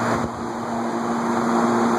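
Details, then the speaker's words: Montgomery Ward Signature 20" 3-speed box fan, believed Hunter-made, WD40 on dry bearings, on high: steady rushing whoosh over faint hum, no rattles; runs normally but loud, airflow weaker than expected, likely impeded by plastic guards. "Still not a super air mover on high. Given how great it was on low, I expected a little more. I rarely use a box fan on high because of the noise, but probably the plastic guards that are impeding it."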